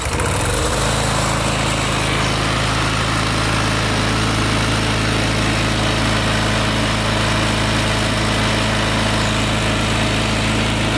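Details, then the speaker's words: Craftsman mower with a Briggs & Stratton 5hp L-head engine, after an oil filter, new spark plug and crankcase breather tube rerouted so oil no longer clogs the air filter. It fires up and holds a steady, even drone with no surging, misses or knocking; running fine. "at least he won't be clogging up that air filter anymore and you guys can hear that this thing runs just fine"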